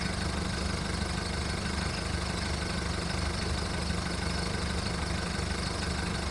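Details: VW Golf Mk1 1.9 TD turbo diesel at its first cold start after 5 months of winter storage, following heavy starter cranking: rough idle while warming up, with a deep, uneven clatter wavering at about three to four pulses a second.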